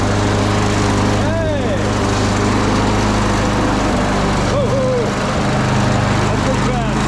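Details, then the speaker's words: Craftsman push mower after replacing the carburetor with a new Briggs & Stratton 650 series unit, primed and pull-started outside: loud, steady drone at constant pitch without surging or dying; running normally. "all right so it is that simple all we had to do was replace the carburetor and she runs"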